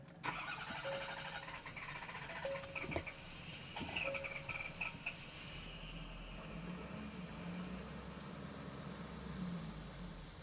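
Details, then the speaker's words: Ford F350 6.7 diesel after battery install, BCM reset and code erase: several cranks catch briefly then die, engine sucks air and stalls; owner suspects blocked exhaust. Engine starts then stalls. "Now wow, I started up, it's running, but it start sucking air and it's dying. Let's try again."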